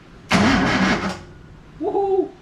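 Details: Datsun 240Z engine cranked after refill with oil, to build oil pressure before first start: one-second burst of even starter whirr, no catching or uneven beats; healthy cranking.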